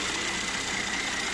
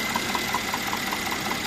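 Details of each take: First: Mercedes-Benz E400 with 3.0 L M276 biturbo engine (333 hp): after a frightening-sounding engine knock, spark plugs were checked and changed; now a quiet, smooth idle with only a soft hiss, no tapping or knocking left. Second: Mercedes-Benz E400, M276 3.0 biturbo, 333 hp, at idle; a steady quick tick about five per second. Traces of leakage on two spark plugs under 2,000 km old, with no mechanical play found, point to leaking spark plugs.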